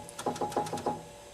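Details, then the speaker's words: Five quick hollow clacks as a loose key on a Hammond H-262 organ is jiggled during key removal; a broken plastic boss from a key's underside was found below, leaving the key loose. "hear that rattle and look at this down in here here's a piece of plastic this is actually the boss from one of these keys just key is loose"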